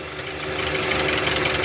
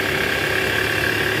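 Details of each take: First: Toyota Alphard Gen 1 (ANH10), 2.4 L petrol, in R or D with AC on, revved to about 1100 rpm: loud rough growl and piercing squeal from the right side, a fan belt tensioner with weak spring visibly vibrating; tensioner assembly replaced. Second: Toyota Alphard ANH10 2.4L after replacing a weak fan belt tensioner: in R with AC on at about 1100 rpm, smooth, even belt whir with no groan or squeal; tensioner noise gone, though a separate clunk near the oil pan suggests worn balancer shaft.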